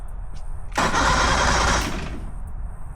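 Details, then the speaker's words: 1977 Play Buoy pontoon boat engine with a bad ignition switch and a replaced fuel pump: a short burst of free cranking never catches or fires. Fuel reaches the fuel pump, but a fuel issue is suspected. "And I do believe we have a fuel issue. We've got fuel getting all the way to the fuel pump"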